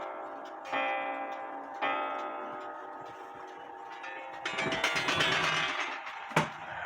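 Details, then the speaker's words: Antique Japy Freres French bakers clock (c.1880–1900), case stood upright as if hanging so the gong no longer touches the wood: soft regular ticking and vibrant, long-ringing gong strikes. "so if you turn it up straight like it would be hanging on the wall and then activate the gong sounds more vibrant like it's supposed to"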